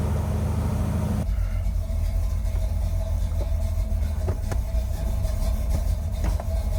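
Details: 1981 Chevy Corvette, brand-new V8 after electric fan, fuel line and filter, and spacer refit to cure overheating. Deep, steady idle rumble with even firing and no knocks, misses or squeals. Normal idle.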